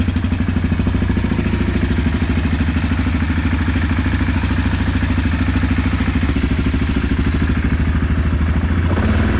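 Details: 2016 Yamaha Kodiak 700 after the oil pump drive sprocket nut was re-torqued with Loctite, side cover refitted and coolant bled: steady, even single-cylinder thump at idle with no knocks, misses or rattles, a normal healthy idle.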